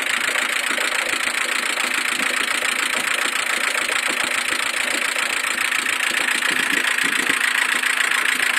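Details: Mercedes A140 engine: fast, even light ticking at roughly three and a half per second over a steady idle; a noise from the top end, cause unclear.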